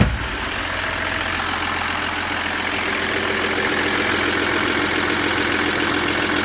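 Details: Audi A6 C6 2.7 TDI fully cold on Castrol Edge 5W30: diesel idles with an even, steady clatter and no knocks or misses; a healthy cold idle.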